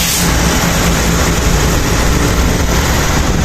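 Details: Honda Click 125 rebuilt after noisy engine with heavy oil consumption: steady even low idle hum, no knocking or rattle, idle speed a bit low and still to be tuned; now quiet.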